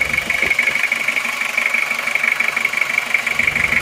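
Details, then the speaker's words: Toyota Kijang diesel, freshly rebuilt with new liners, after about 3 km of driving and still being broken in, clean exhaust: steady idle with a bright, even metallic clatter and no uneven knocks; normal diesel idle. "Saya rasa untuk suara sudah bagus sekali renyah dan halus rata"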